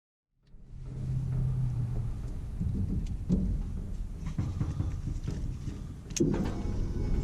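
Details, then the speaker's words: 1949 International KB2 with GM LS-type engine, E38 ECU, very old fuel, no O2 sensors: steady starter churning with scattered weak pops, no catch, then a rougher burst; cranks without starting, owner checking spark. "something's wrong i'm gonna check spark all right again"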